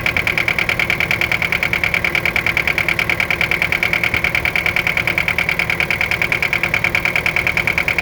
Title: Детонация и стук 4м40.